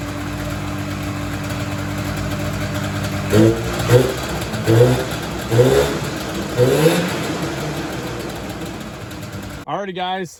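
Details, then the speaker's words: Polaris Indy Sport 340 fan-cooled two-stroke snowmobile after motor swap, driving: throttle blips rise weakly and fall flat; bog later traced to gunk in carburetors and incorrectly set floats. "still bogging on me when I'm driving it um I believe we got a fuel related issue in the carburetors"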